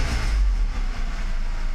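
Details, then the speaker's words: Mercedes 600SL V12 after E-gas throttle control module tested OK before throttle body rebuild; revving gives a deep, steady roar holding firm under throttle with no misses, knocks or stumbles. "that looks very good to me"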